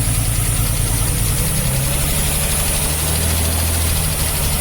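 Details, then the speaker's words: Vauxhall Royale Coupé six-cylinder being revived from scrap, first start with plugs in and fuel to the carburettor: hums smooth and even but idles noticeably fast with no dip or hunting, owner wants idle speed brought down; high idle speed. "Right, let's try and get that idle speed down a bit. It's a bit manky here."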